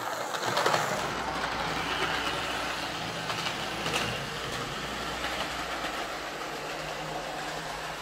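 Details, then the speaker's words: Lima L201645 Class 55 Deltic 9006 model loco, formerly non-running, after filing rough circular marks off the plastic gears: steady, even low motor whir with no gear chatter or grinding, running far quieter; normal running. "better [Applause] so that's certainly running an awful lot quieter um i think filing those gears down has been the the secret there to getting this running quiet"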